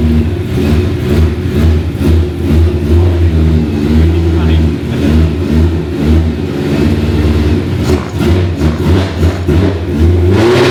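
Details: BMW E30 M3 track car with a swapped S65 V8 and DCT, first start, no silencer fitted: a loud, deep, steady V8 burble with light throttle blips, raw from the open exhaust but running evenly, a normal healthy idle.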